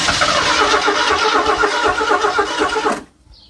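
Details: Ford Granada that sat almost 20 years, two-stroke oil mixed in the fuel, inline fuel filter added: rhythmic starter churning at about four beats a second for three seconds, no clear catch; cranks but won't start.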